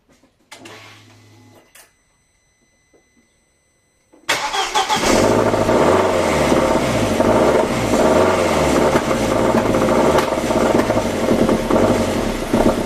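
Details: 2003 Audi A4 B6 1.8T BFB 163 hp after timing belt, water pump and timing job: cranks and catches into a steady run with an irregular clatter on top; cause unclear.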